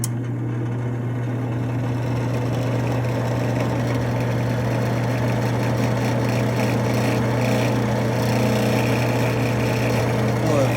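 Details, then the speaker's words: Double oven convection fan motor: a steady low drone with a gritty, rumbling edge from rough bearings, meaning the motor needs replacing. "You can hear the rough bearings in it."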